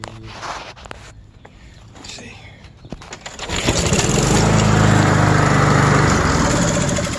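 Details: Honda HRX217 (GCV200) mower that wouldn't start, after replacing old gas and freeing a hanging valve: after some fumbling it catches at about three seconds and settles into a steady, even run with no misses.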